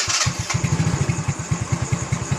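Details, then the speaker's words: Yamaha Mio J scooter after another shop replaced the cylinder block and rings, showing fault blink code 79 (leak near the ISC), lacking power and using excess fuel: choppy, uneven single-cylinder putt that will not hold idle. Unstable idle, cause suspected. "suaranya tuh, nggak stabil teman-teman ya. Ini coba kita lepas. Ini nggak bisa langsam teman-teman."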